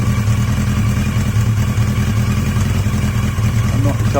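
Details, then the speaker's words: Yamaha XJ750 motorcycle running on carburetors swapped from an XJ650: steady, even low idle rumble with no misses or hunting, wind across the mic; healthy idle. "sure you're going to hear anything it's so windy it's blowing everything out but that sounds quite [Music] [Music] healthy"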